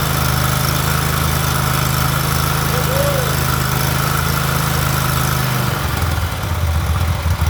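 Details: Big mower single-cylinder engine after carburetor replacement: smooth even drone holding steady speed, then easing down near the end without stumbling; normal running.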